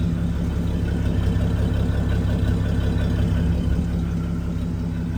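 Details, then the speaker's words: Dodge D5N truck with 245 Hemi six, just restarted after sitting 5 years, with new fuel line and battery terminal: smooth, even low rumble at a steady idle with no knocks, misses or rattles; idling cleanly. "That is just wonderful."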